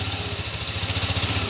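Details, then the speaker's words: TMX125 Alpha converted to 175cc, after conversion and valve clearance readjustment; even, steady single-cylinder beat with quick regular pulse, no knocks or ticks; very smooth, like brand new. "Yun oh, napaka-smooth. Parang brand new."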